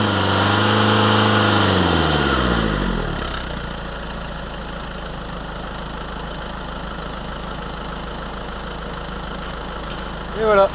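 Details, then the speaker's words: Renault Clio 2 1.5 dCi diesel, just after replacing fuel filter with sensor: cranks, catches and settles to steady even idle with usual diesel clatter, no stumble; running fine. "voilà, tout va bien, ça tourne."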